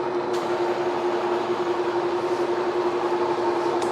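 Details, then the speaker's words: Cincinnati horizontal milling machine making a pass down an already-cut slot at 54 RPM spindle, about 2 7/8 in/min feed, with cool mist; steady drone, even cutting hiss, no chatter or squeal — normal clean milling cut. "So we're just kind of going down this slot we already cut. We'll make another cut after this, a little deeper, and see how it does."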